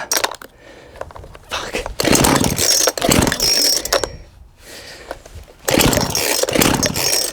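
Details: Cheap £20 auction two-stroke chainsaw being revived, warm, running with chain on: revs surge and drop in uneven bursts, never a clean steady note; running rough.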